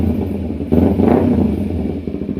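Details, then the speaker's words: 2010 Kawasaki Ninja 250R twin after no-spark repair and flood-damage restoration, new filters: crisp idle picks up cleanly into a quick rev to the limiter and drops back smoothly, no misses or rattles, healthy. "Sounds happy. Taking the whole rev limiter now. Oh yeah, she's happy."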